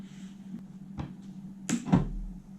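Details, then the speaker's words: BMW E70 X5 after halogen-to-OEM-xenon headlight conversion, dipped beam lit: one sharp mechanical clunk over a low steady hum as the main-beam (pin 5) line powers the bi-xenon shutter; shutter moving normally. "the um the shutter makes that loud clunk noise"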